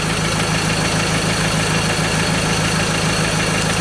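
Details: 2015 Mazda BT50 2.2L diesel, 256,000 km, with hard start, loss of power, a loud knock, P0341 cam and glow plug codes; scoped on crank, cam and injector. Steady clattery idle with a faint uneven beat around 200/min.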